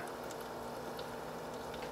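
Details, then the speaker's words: H220 liquid CPU cooler, warm coolant, reservoir fill cap pointing down likely keeping air circulating; soft irregular bubbling trickle over quiet pump hum, no grinding: normal air trickling in liquid cooler loop. "alright i'm not sure how long this trickling is going to last but this is kind of something you'll hear a lot"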